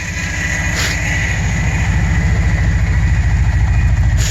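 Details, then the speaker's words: 1986 Subaru GL sedan revived after a decade sitting, carb choke adjusted: loud, deep, uneven raw exhaust putter at steady idle; muffler blown out. "mufflers blown out but it sounds pretty freakin badass"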